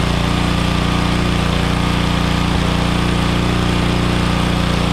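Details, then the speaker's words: Troy-Bilt Pony rear-tine tiller, 5 hp Briggs & Stratton, after carburetor soaked in brake cleaner and main nozzle jet cleared with copper wire, reinstalled second time: small single-cylinder chugging steadily without surging or dying; now runs normally. "second time the carburetor is installed I think cleaning that jet out with that copper wire was the winning ticket"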